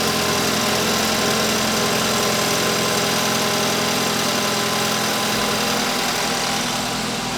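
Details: BMW F30 328i with N20 engine, bought not running after losing timing, after engine restoration: fast, steady running beat with no knock or rattle; white smoke out the back noted; normal running.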